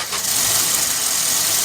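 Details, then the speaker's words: Maruti Swift (stated 2017 model), started with the clutch held down: a steady high whirring hiss over the running engine as the starter spins along; starter stays engaged. "रही ना आवाज यह भाई जो self है ना साथ में घूम रहा है अब मैं क्लच छोडूंगा ना आवाज बंद हो जाएगी"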